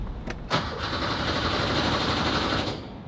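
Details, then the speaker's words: Porsche 911 with a swapped Subaru EZ30R engine: starter churns briefly at about four turns a second and never catches, with no fuel pump hum beforehand. Fuel pump not running; it later worked with no clear explanation. "I don't hear a fuel pump come on man can I just get one thing to work"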